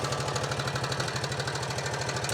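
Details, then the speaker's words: 2004 Honda Rubicon 500 ATV idling with loud, sharp, regular knocking about ten beats a second, coolant smelled and dripping; heavy engine knock, suspected top end rather than bottom end, cause not confirmed. "I don't want to run this thing any more than I have to because it does not sound good. Honestly, it sounds like it could come apart at any moment. Um it definitely it seems like it's in the top end anyways. It doesn't seem like a lowerend knock or anything."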